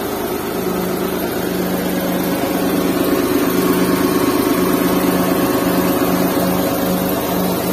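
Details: Restored Suzuki Mehran with a WagonR K6A 660cc engine and 3-speed automatic, vibration test with a glass of water on it; smooth even idle, steady low hum, no knocks, misses or shaking.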